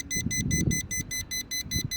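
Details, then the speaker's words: Schumacher 1200 amp portable lithium jump starter connected to a dead-battery vehicle: fast steady high beeping, about five a second, warning of a problem after draining energy without the vehicle starting. "So what that means is there's a problem. And basically our problem is I should have already started the vehicle. So as you can see, real world, so what's happening right now is this portion that has all the circuitry, it's saying, hey, there's something wrong."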